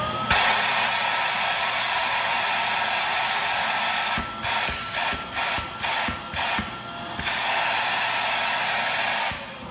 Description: The Shark Lift Away Deluxe suddenly lost suction, making a loud sustaining shhhhhh sound.